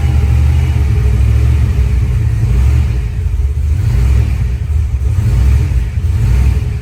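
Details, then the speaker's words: 1986 Ford Mustang Foxbody after head work, new ARP intake bolts and corrected distributor wire order: deep even rumble swelling with throttle, no stumbling; runs good though new throttle body sticks and needs adjusting. "but it runs good at least."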